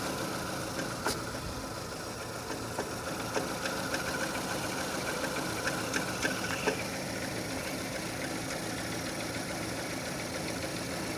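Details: 2006 Renault Scenic 2, K4M 1.6 with automatic, 202,000 km, warm idle: light uneven tapping around three a second from low in the engine, a knock that appears as the engine heats; cause not pinned down.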